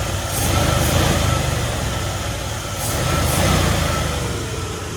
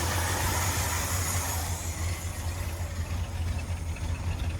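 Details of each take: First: 1977 Ford F250 Custom V8 that sat 10 years, after timing tuning and choke spring removal: steady, smooth low burble with no stutter, one exhaust pop afterward. Normal idle. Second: A 1977 Ford F-250 Custom V8 that sat about ten years, on a Motorcraft 2-barrel carburetor with the choke removed. It has a lumpy idle that sags and wavers after a higher start and never evens out; the carb is hard to tune, and the cause is unconfirmed.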